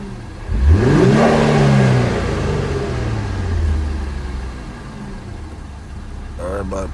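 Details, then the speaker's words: Infiniti Q50 Red Sport, crashed and being rebuilt, jump-started and warmed up a little, revved in Sport Plus mode: climbs smoothly to a strong rev, falls back gradually to even idle, no knocks or rattles; sounds healthy. "about to give you a quick little revs put on sport mode matter of fact Sport Plus this a real red sport like ain't missing no Pages"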